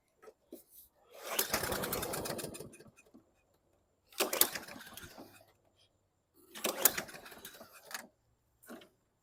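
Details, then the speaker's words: 2014 Toro Recycler mower, air filter off: three rough pull-start bursts, briefly coughing but never catching; hard starting, owner suspects it needs a carb clean, and sand flew off the flywheel, possibly from a dirt dauber nest. "may need a carb clean I think I Disturbed a dirt gobbers and asked when I pulled it over a bunch of sand here flew off of the flywheel"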